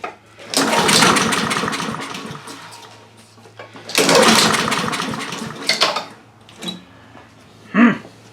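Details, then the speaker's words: Honda HRR2156 push mower that runs and dies, carburettor replaced last year: two long pull-start attempts give only brief coughs; full throttle should engage the choke, but the linkage was kicking the choke off. "When you push the throttle all the way forward, it's supposed to activate the choke, but it wasn't. It was actually kicking the choke off."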